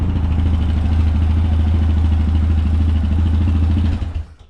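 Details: Yamaha Rhino 700 after engine rebuild and reassembly: steady single-cylinder thumping at a brisk idle before shutdown; idle still slightly high, needs idle and throttle cable readjustment.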